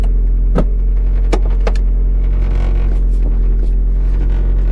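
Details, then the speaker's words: Mazda Miata at idle after replacing the worn clutch pedal bushings and rubber pedal stops: a deep steady idle rumble with only soft clicks as the pedal moves, and no squeak; normal clutch pedal operation. "this is the moment of truth ladies and gentlemen will it squeak nervous ah you hear that bring in nothing this thing's gonna be like a brand new car"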